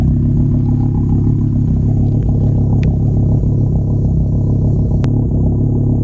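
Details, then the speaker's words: VW Golf five-cylinder idle; uneven stumbling beat with dropped pulses, vacuum only about −5 (expected near −25), strong gas smell; engine misfire, cause not pinned down. "it is misfiring a little bit it sounds like only negative five of vacuum that doesn't sound right"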